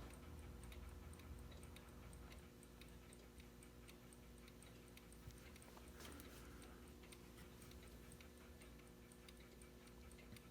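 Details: Wall pendulum clock after being rocked on its stand to level it: quiet, steady ticking at about two per second with fairly even spacing; the clock is now in beat.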